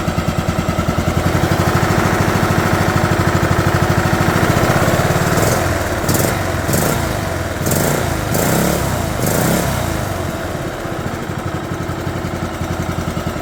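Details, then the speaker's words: 2011 John Deere D110 mower, engine reassembled from boxed parts, restarted off choke, throttle cable not hooked up, expected to smoke: quick even single-cylinder popping about three beats a second, steady through throttle changes; runs good. "Wow, runs good. Gotta be happy with that."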